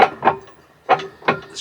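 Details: Whitlock Cobra steering pedestal, 30 years old, on Westerly Ocean Quest yacht Zephyr IV with slight wheel play: sharp hollow bangs, about five in two seconds, when the rudder is swung quickly, first noticed in heavy weather. Clunk from worn pedestal shaft bearing; pedestal later refurbished.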